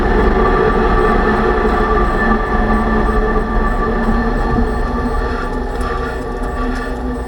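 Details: 2006 Range Rover Sport differential after rebuild for vibration and howling, all new bearings and races; steady droning gear-type hum with tonal bands under road rumble, still loud. Owner suspects pinion preload too high at 35 in-lbs, maybe should be 20.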